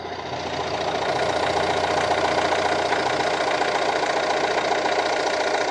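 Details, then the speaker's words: Renault Trafic 3 R9M diesel idling after timing chain replacement: even fast diesel patter at steady idle, no knocks or rattles, sewing-machine-like. "That sounds beautiful. Sounds like a little sinker sewing machine."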